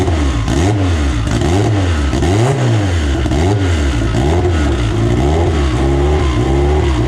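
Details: AWD EG turbo build first start on a borrowed 2000cc-injector tune: repeated blips, revs climbing and falling cleanly with crisp, even note; healthy, responsive engine.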